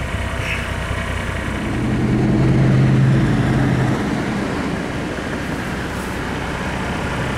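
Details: 1987 Mercedes-Benz 300D diesel on 100% vegetable oil, original muffler before the swap: a steady diesel clatter at about four beats a second, even and regular over a deep exhaust rumble; healthy idle.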